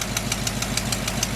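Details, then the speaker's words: 1976 Chevy K30 dually tow truck V8, first start after over two years stored: after revving, sharp, even ticking six or seven a second over a steady idle, suspected near the header joint; exhaust manifold leak. "Not bad. That sounds good. A leak on the exhaust manifold somewhere."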